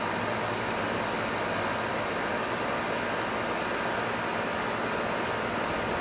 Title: Outside compressor grinding noise 6:10 in